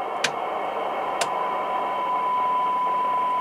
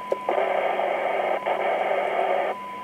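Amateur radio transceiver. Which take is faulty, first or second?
first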